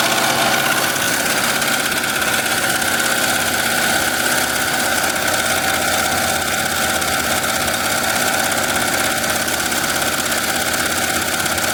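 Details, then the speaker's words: Melco Summit embroidery machine stitching a jacket logo, being raised from 850 to 1,000 stitches per minute: fast, steady mechanical chatter at an even pace with no knocks or hitches; running cleanly. "So, like I said, we are running currently at 850. I'm going to crank it up a little bit. We're going to run it at 1,000 now."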